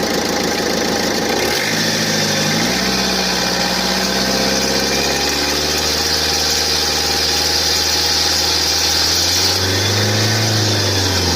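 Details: 2017 Opel Astra K 1.6 L diesel, cold engine, at about 2000 rpm in standstill or just after pulling away; dry, rasping, partly metallic rustle over the drone that vanishes fully once coolant reaches about 70 °C.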